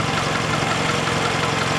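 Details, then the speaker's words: Car engine that felt odd on a hill then began tapping, found with oil at bottom mark: rough busy idle with fast rattling tap, worse driving; top-end tapping, owner suspects collapsed lifter or damaged valve from oil starvation, unconfirmed. "so something got damaged somewhere it could be a collapsed lifter could be a damaged valve maybe or i don't know"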